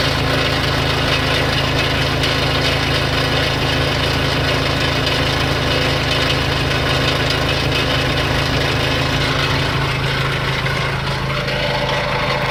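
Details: Renault Kangoo I 1.9 dCi diesel idling with a rough, uneven knocking beat over a heavy low drone; abnormal engine noise, with black smoke on acceleration also reported; cause unclear.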